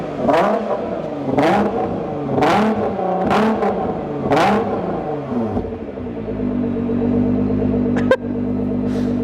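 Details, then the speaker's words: Raptor with a dump pipe issue: four sharp harsh raspy revs about a second apart, then a loud rough idle; exhaust leak at the dump pipe. "So what's actually happened with the Raptor is we've got a dump pipe issue."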